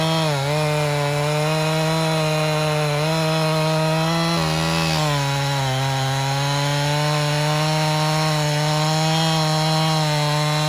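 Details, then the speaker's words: 1997 Husqvarna 371 XP two-stroke chainsaw, rebuilt by a local shop after blowing up, cutting dead red oak firewood in the rain. A high-revving howl sags slightly as the chain bites, then recovers cleanly; normal running under load. "And if y'all want to, we'll saw a couple pieces. Just hear the music of the old husky."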